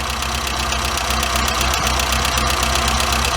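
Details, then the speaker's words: Warmed-up engine with Weber 38 DGAS carburetor, adjusting idle mixture screw: turning it in leans the mixture and idle falls, turning it out picks idle back up; steady carburettor idle, about four pulses a second. "it's gonna turn it in so you can hear what it does get out starting to fall because I'm not giving it enough fuel okay and we're gonna turn it out you can hear it picked up again a little bit"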